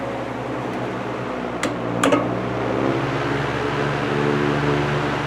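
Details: GE Vortalex 16-inch antique fan on high speed, after oil wick replacement: a steady low motor hum with an even rush of airflow and a couple of brief ticks; normal fan running.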